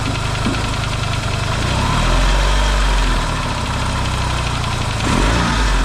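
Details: Yamaha XS650 twin, freshly reinstalled engine after oil-burning repair, first run, warmed up: even steady idle thumping about 220 beats a minute, quiet, no pinging or weird noises; smoking, owner hopes break-in. Normal idle.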